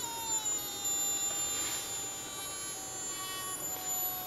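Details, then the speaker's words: Joule ringer circuit with a home-wound transformer and a 50 V 9,700 µF capacitor, now running on the capacitor alone. As the light is cranked up and the load increases, the transformer gives high, thin whistling tones that drift slightly in pitch like a faint siren. "hope you can hear this on this video but this uh makes a siren sound"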